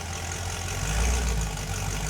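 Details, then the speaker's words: 1971 Datsun 240Z "Rotsun" turbo V8, overheated many times before, just started, fuel pressure 7 not rising on revs, maybe no boost: deep smooth burble swells briefly and settles, no knock, miss or rattle; sounds healthy. "It sounds great. Yeah, it's fine. Wow. You know, for an engine that we overheated 97 times, it runs pretty good."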